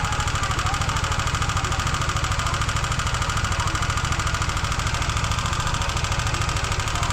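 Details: Honda CBR150R engine at idle: steady sharp tapping, three or four knocks a second, in time with the idle; top-end knock, engine later opened revealing sand-like debris inside; cause not confirmed.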